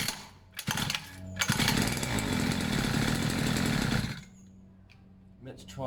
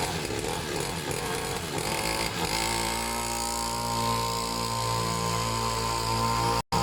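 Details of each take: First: Two-stroke pit bike, fresh fuel, long unused, choke off, idle a bit weird: short raspy burst surges then dies back to a stumble; erratic running from choke slipping. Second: Serviced pit bike / mini moto two-stroke being set to idle on its own; catches unevenly at first, then settles into a steady, even idle; slightly smoky, owner plans an inline fuel cut-off; normal idle.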